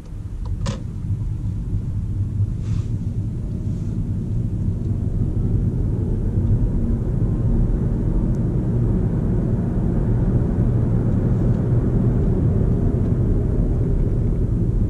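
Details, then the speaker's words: VW Golf GTE plug-in hybrid setting off from Drive in full electric mode, heard as an even low road rumble with no whine, grind or knock; the electric drive sounds healthy. "Am început să ne deplasăm, suntem în varianta full electric. Și o să tac acum un pic ca să ascultăm motor, dacă se aude ceva."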